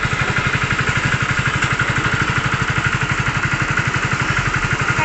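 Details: Hero Splendor BS6 single-cylinder bike during wiring work for a current problem: steady, even putt-putt at idle, quick regular beats with no misses, knocks or rattles; normal idle.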